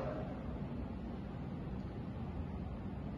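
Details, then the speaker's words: O General 3.75-ton ducted split AC indoor unit at medium fan speed (of four), supplying a bathroom: soft, even airflow hum, quieter than full speed, like an exhaust fan, no knocks or pulsing; running normally. "على ميديوم بخف صوت الهواء وايضا بخف صوت الوحده الداخليه يعني انا بشبهه لصوت مروحه شفط مثلا"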